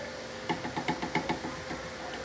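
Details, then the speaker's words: Worn shock absorber removed from a car and its rod pushed by hand gives about a dozen sharp hollow clunks in two seconds; play in the shaft at the bottom reproduces the knocking the car makes when driving over holes. "e quando anda faz esse barulho aqui ó ó e é esse barulho exatamente que faz no carro"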